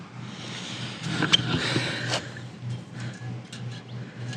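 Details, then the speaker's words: Honda engine on a trencher holds a steady fast idle after starting and won't drop to slow idle; cause found: throttle return spring missing from the carburetor linkage. "i figured out why it's not idling slow but the the spring the throttle spring is missing"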